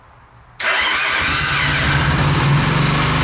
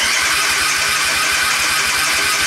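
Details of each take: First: Suzuki Intruder 125 V-twin with thick wire feeding battery positive straight to ignition module (about 11.3–11.9 V): short crank, catches at once, steady even idle of about four beats a second; fixed hard start, relay planned. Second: Suzuki Intruder 125 V-twin, crank no start: steady fast starter chugging, no catch; ignition module voltage sags from about 10.7 V to 8 V while cranking, below its 12–15 V rating, so it won't fire (common factory fault).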